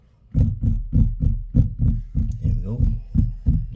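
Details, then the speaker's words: Tesla Model Y/3 front air intake cover panel under the hood, after clear tape applied to dampen clips: hand taps give dull clean thuds, about three a second, with no buzz after; trim rattle gone. "no vibrating so that's good [Music] so that should be most of the noise being dampened"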